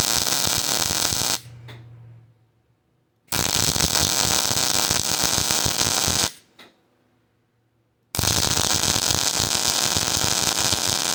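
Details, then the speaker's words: Hobart Ironman 240 MIG welder with ground clamped directly on the workpiece: three runs of even, steady frying crackle, clean starts, no popping or sputter; smooth arc, wire feeding fine. "To to me anyways, that sounds better. And again, now the wire starts feeding just fine."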